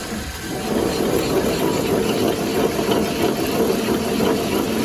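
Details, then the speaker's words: 2005 Chevy Equinox 3.4 running: a steady, rough churning growl from a shot front wheel hub bearing, located with a listening tool. It remained after loose flywheel-to-torque-converter bolts were tightened. "The torque converter looked good, and we also found out that this wheel bearing is shot."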